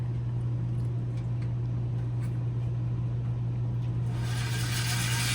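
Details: Airstream roof vent fan that stopped working in the cold, run after unplugging the rain-sensor wires to bypass that function: a steady low hum at constant pitch with a rush of air toward the end; the vent fan motor runs normally.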